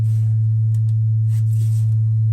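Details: A gas-fired water heater tank gives a steady, deep, loud rumbling moan while firing, coming from the tank, not the flame. The rotted exhaust flue leaks and hot air drafts back, with a carbon monoxide risk, and the heater needs replacement.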